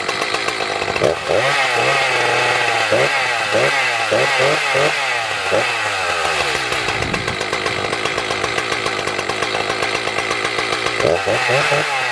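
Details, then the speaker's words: Echo CS 590 chainsaw after fitting a new carburetor, no tuning needed: catches after a few pulls, blips and settles into a crisp, even two-stroke buzz that revs cleanly; running healthy, fixed. "That was easy. Well, that was a really easy fix, to be honest. Just threw the new carburetor on. It didn't need tuning or nothing."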